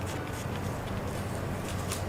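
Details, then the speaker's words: Squeaking serpentine belt tensioner pulley removed and spun by hand: steady low gritty rumble. Seal pulled and the bearing has almost no grease; it will be washed and regreased. "And look at that, there is almost no grease inside. You can hear it now."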